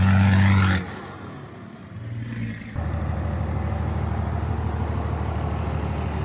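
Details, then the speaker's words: 12-valve Cummins diesel swapped into a 1967 Ford F100: brief louder burst, then even steady idle knock about four pulses a second, nothing irregular; judged to sound good. "Sounds good. It does sound good."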